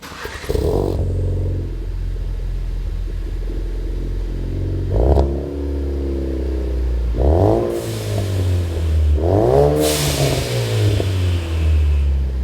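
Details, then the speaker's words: 2016-2018 Ford Focus RS with a newly installed MagnaFlow 3" stainless cat-back exhaust, speaker sound generator disconnected: deep, throaty note with clean rev sweeps rising and falling smoothly, no rasp or rattle; deeper tone than the factory system. "Definitely has a deeper tone than the factory system, and for once that sound's coming from the exhaust, not the speakers."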